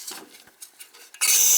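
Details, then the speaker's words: Gas boiler on a no-heat call, after reopening a shut-off gas valve to the heater: a few faint clicks, then a soft steady hiss as gas flows to the pilot. Normal gas flow at pilot. "okay so we got gas now"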